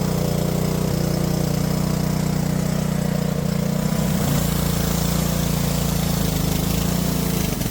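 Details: Junked Honda-powered Homelite pressure washer after carb cleaning and a float-valve check runs steady, then its pitch wobbles and hunts before settling; the owner suspects bad gas and refills with fresh fuel. Surging.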